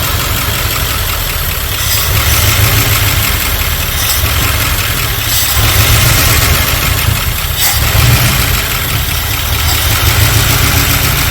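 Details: 1978 Dodge D150 with 318 LA V8, sitting a couple of years, first start after priming with fuel; loud, lumpy idle with an uneven loping beat and surging, runs rough, timing found a little advanced.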